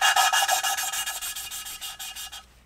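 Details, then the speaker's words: Lapping steel valves by hand with fine paste on a Hayabusa turbo engine cylinder head: quick back-and-forth rasping strokes soften as it stops biting, sound changes; paste spent, lift and re-tap to renew paste. "ça frotte plus. T'entends le bruit qui change."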